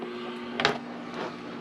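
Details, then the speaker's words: Victron IP22 Blue Smart 12V/30A charger bulk-charging a LiFePO4 battery at full 30 A output: faint steady low hum with one brief click, its loudest normal level; quiets at 15 A. Normal charger hum under load. "This thing does hum when you're pulling 30 amps off of it. That's about as loud as I ever hear it go."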